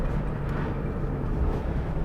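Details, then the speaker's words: Suzuki Alto Turbo RS automated gearbox driving after gear oil change to Motys M301 ATF; even low drivetrain rumble, no tapping or clunks through first to fourth, smoother, quieter, more responsive shifting. "don't hear the tap noise more now go it's much smoother even in man new mode it's it's much smoother very much more responsive"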